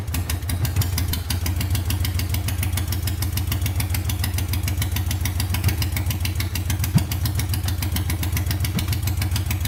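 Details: Honda 500cc engine swapped into a tractor, warming up after wiring and fan repairs: loud, steady, even idle with a quick, regular beat and no misses or knocks; running good, no issues or leaks yet, temperature gauge unverified.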